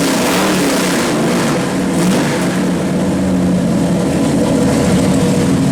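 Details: 451 stroker Mopar big block (1976 400 block) for 1973 Dodge Charger, new Edelbrock Performer RPM aluminum heads, Sniper EFI, at 160° on dyno; pull from 4,600 rpm reaching 472 hp at 5,400, loud even roar, no knocks; normal dyno pull.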